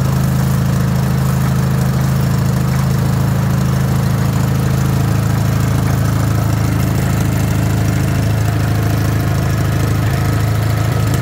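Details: Wisconsin THD air-cooled twin on a wooden bench with a flush-mounted head said to run quieter: deep, steady, even thump over the whole run, no misses or knocks; running sweet and well tuned.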